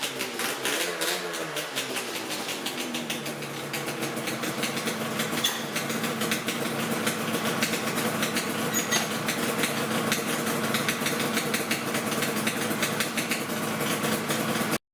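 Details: Yamaha RZ350 two-stroke project bike after the tachometer mechanism was lubricated to cure its screech: a quick, busy idle with a crisp, rattle-free beat and no howl or screech from the gauges. The fix seems to hold for now.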